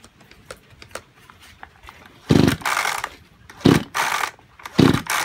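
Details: Junk Kyoritsu chainsaw of unknown condition. Three sharp recoil pulls spin it over with no firing; it won't start. Seizure and low compression are suspected, not confirmed, and an overhaul is being considered.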